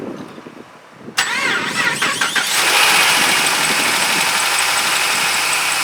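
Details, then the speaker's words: 2008 Dodge Ram 2500 5.7 two-wheel drive, right after starter replacement (previously cranked a long time): brisk crank and quick catch, then steady idle with a faint light squeak the owner attributes to a pulley; normal start and idle. "Sounds good, guys. Sounds good. Engine sound pretty good."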